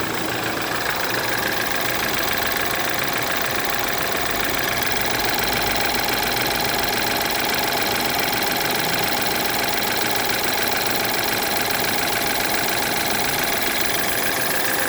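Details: BMW F10 with N20 four-cylinder petrol engine idling after timing chain replacement, with a busy metallic rattle and a fine whir over a steady engine note; timing chain noise is suspected, not confirmed.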